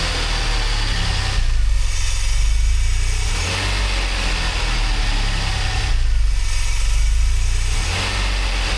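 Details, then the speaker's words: DeLorean, manual transmission, after CO adjustment and idle system work, months later: deep even cold-start idle with gentle slow swell every few seconds, no misses or knocks; sounds good. "Several months later. That sounds pretty good."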